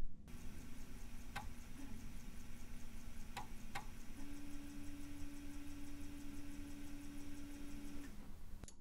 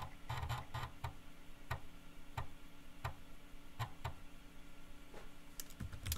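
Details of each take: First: Teac FD-55GFR 5.25" floppy drive on NEC UF0001 USB adapter via 26-to-34-pin converter, saving a larger file: quiet, uneven head-step ticking, sharp clicks and steady motor tone for minutes; repeated seeking, driver/controller suspected. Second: Teac FD-55GFR 5.25-inch floppy drive on an NEC UF0001 USB controller through a 26-to-34-pin adapter, booting from old floppies: soft irregular ticks and brief chattering bursts as the head steps and reads; normal seek and read.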